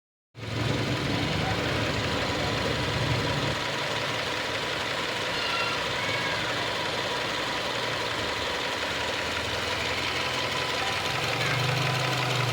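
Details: Subaru XV Crosstrek FB20 engine at idle: steady low hum with a busy, light ticking throughout; abnormal engine noise, source not pinned down.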